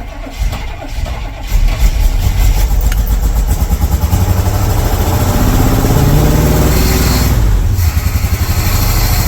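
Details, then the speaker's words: 1982 Chevy K10 pickup after sitting nearly 5 years, carburetor bowls refilled: lumpy low rumble that stumbles and surges, running on about half the engine, with a big fire out the intake; misfire on several cylinders with intake backfire. "We're running on like half the engine. Ooh! Big old fire out the intake."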